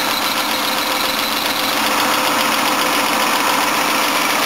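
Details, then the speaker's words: 1984 Toyota Cressida at cold start, engine sounding tired: even petrol idle with a thin, steady whine on top. Worn, noisy drive belt; water quiets it briefly and new belts are needed. "That's making some noise. That belt's noisy."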